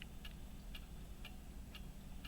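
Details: Chronometer after fusee repair (new chain-pin hole drilled, new pin fitted): crisp, evenly spaced ticks about two per second over low hum; running steadily and healthily.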